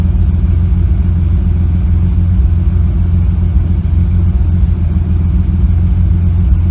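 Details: Engine with a slight misfire that started after a nitrous backfire: loud low rumble with an uneven, stumbling beat instead of a smooth run, like missing on a cylinder.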